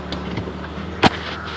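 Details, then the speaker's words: Jeep Grand Cherokee WJ jacked up in 4x4 drive: a single heavy clunk over a steady drivetrain hum, grinding felt underfoot; the owner first suspected the transfer case, but the cause was the front driveshaft Rzeppa CV joint at the transfer case end, fixed with new yokes and a double cardan. "yeah I'm guessing it stripped out gears on the transfer case but you'll let me know cuz I'm starting to get really pissed off at this thing thanks"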